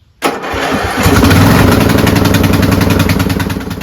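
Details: Old lawn tractor with a dead battery, jump-started with a Powrun 2000 A 18000 mAh portable jump starter pack: brief cranking, then the engine catches and settles into a steady even beat of about four pulses a second; a clean normal start.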